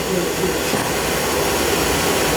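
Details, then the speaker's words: Field power venter reported making loud noise, tested running in place: steady, even fan rush with constant airy hum, no knocking or vibration; motor judged running fine. "nothing wrong with that thing that thing's running fine it's running smooth not vibrating or anything"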